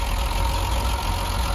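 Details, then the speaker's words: 50-year-old Triumph 2500S straight-six, stored over 2 years, restarted with choke and probably still slightly warm from earlier running: steady, even low-pitched idle with no misses or lumpy beats; normal idle. "so it sounds pretty pretty good to me i can't hear too much chopping"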